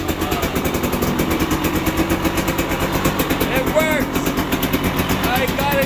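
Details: 2020 KTM 300 XC TPI, 279.1 hours, trail no-start with FI light pointing to fuel/oil pump signal, after rewiring and heat-shrinking: two-stroke catches and holds a crisp even run, steady popping exhaust, no misfire.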